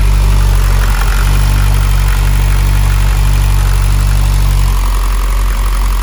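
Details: Mitsubishi Evo X big-turbo build, first start after fitting ID1050 injectors with ECU map adjusted for them, fuel pump and wideband on; loud steady even low idle, no misses, knocks or ticks; normal idle.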